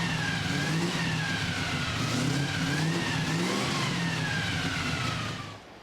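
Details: 1965 Chevy C10 with carbureted drag race 327 V8: deep burble swelling and dropping through several throttle blips, revs climbing and falling cleanly before shutoff; healthy engine.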